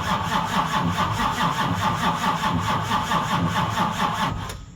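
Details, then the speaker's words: 1970 Charger 640hp Mopar stroker after long sitting, Powermaster starter, no fuel in carbs: slow, labored, uneven cranking about two turns a second that drags and stops; weak battery, owner decides a good battery is needed. "It was about at this point when I realized to myself, Jed, you should probably just get a good battery."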